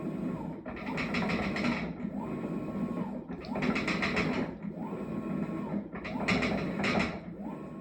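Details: Maytag washer bought October 2023, loud clanking from December despite repeated repair attempts; rhythmic agitation stroke about every two seconds with a rough clattering rattle on top. Clanking, cause not yet found.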